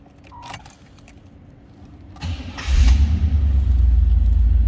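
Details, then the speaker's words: 1986 Chevrolet Camaro IROC Z28, 56,386 miles, cold start per temperature gauge: keys rattle, short crank, engine fires quickly into a deep steady rumble; starts easily, oil pressure good, normal cold start. "Starts easily. Good sounding car. Like fuel gauge came up. That was a cold start, as you can see by the temperature gauge."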